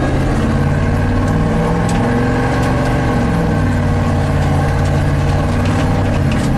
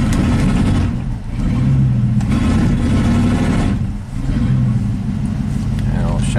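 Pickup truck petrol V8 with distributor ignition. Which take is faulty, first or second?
second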